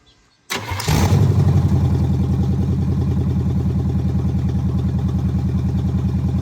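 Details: El Camino V8 after correcting the firing order by swapping plug wires and setting the timing: cranks briefly, catches quickly and settles into a steady, deep idle with an even beat of about three per second. Normal idle.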